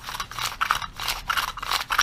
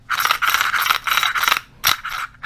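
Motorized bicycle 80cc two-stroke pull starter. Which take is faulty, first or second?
second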